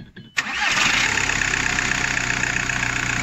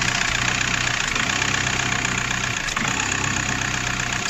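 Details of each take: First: VW Golf 4 diesel after rerouting and securing a chafed wire that was touching metal and causing cutting-out/vibration: quick crank, clean catch, steady even diesel idle; normal start and idle. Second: VW Golf 4 diesel at idle with brief sags and dips every second or so; the intake shutoff flap intermittently snaps partly shut from a broken valve wire, causing stumbling and vibration.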